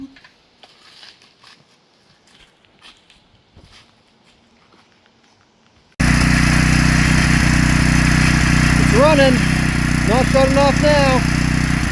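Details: Heavily used Generac 3500XL generator, sat three years in a shed, after new carburetor gaskets and pulls on full choke: after a quiet spell the engine catches and settles into a steady, even drone without surging; normal running.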